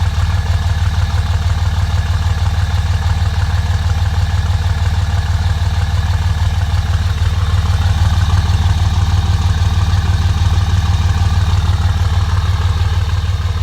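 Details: 2005 Dodge Ram just after a cold start: low, steady idle with a faint uneven beat now and then, a slight miss; it misses and smokes when first started but smooths out when driven. Owner suspects bad injectors.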